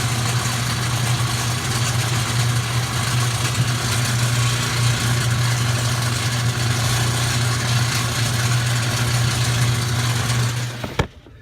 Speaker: okay guys so the reason my washer was not turning at all or barely turning and not watching any clothes and making a weird noise is because this part is broken as you can see this should be attached